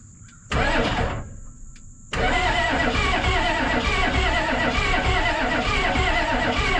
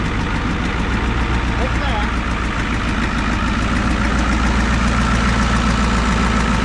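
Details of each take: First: 1988 Ford rollback diesel that sat about 10 years: the starter cranks in long bursts but the engine never catches; a leaking, bubbling injector is found and fuel delivery is uncertain. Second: 1988 Ford rollback truck restarted after sitting about 10 years: even, low diesel clatter at a steady idle, about three and a half beats a second, no misses or surging. It idles normally.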